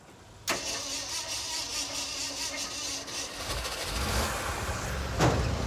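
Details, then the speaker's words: Hard-starting truck V8 with its fuel pump running: it catches suddenly after cranking with starting fluid, runs roughish and uneven, then settles; cause not found yet. "Ah, I heard one thing fire. We need starting fluid."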